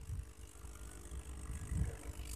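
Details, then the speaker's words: Aquarium aerator running, connected to the tank: a soft, steady low rush and bubbling of air with no electrical buzz; the noise comes from air forced through the air stone, not the pump humming. "Suara ini, ini bukan suara berdengung. Tapi yang menjadi masalah adalah udara di dalam batu aerator ini."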